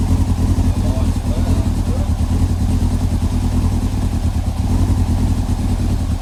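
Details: Yamaha R6 stored long as a scrapper, first start on a makeshift temporary fuel supply with primer pump running and choke possibly on: low, uneven engine drone with a slightly ragged beat as it catches and runs roughly.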